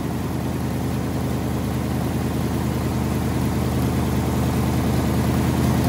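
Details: Ford Y-block V8, garage rebuild with a rehone, just started after fixing plug wiring and TDC errors; even steady low rumble at about three pulses a second, no knocks or misses, idling cleanly.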